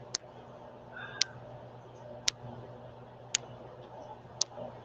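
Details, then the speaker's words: Sharp bright click about once a second over quiet room hum during a livestream; tick source unknown, camera suspected but has battery and is plugged in. "the sound is better but you can still hear the click let me just turn that down is that a little better now you can still hear the click"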